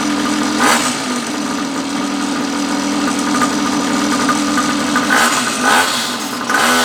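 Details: 49cc two-stroke pocket bike that had been parked a long time, after a new fuel line and fuel filter: steady, even buzzing with a few light throttle blips and no misfire or rattle; it starts and runs normally.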